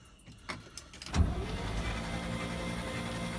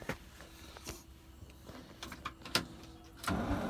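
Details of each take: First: 1968 International C1100 truck, first crank after about 36 years unused, spark plugs removed: starter spins the engine in an even, quick whir with no compression pulses, speeding up slightly; turns over freely. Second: 1968 International C1100 unregistered for about 36 years, first start attempt: a steady, even cranking churn that never fires. No spark, the battery seemed short of charge, and the distributor needed cleaning.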